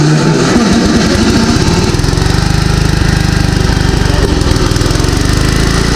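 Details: Gravely garden tractor, small single-cylinder engine, running after 10 years sitting with governor issues noted: steady loose knocking rattle about three per second over the exhaust thump. Owner suspects the blade is loose on the shaft. Knocking noise.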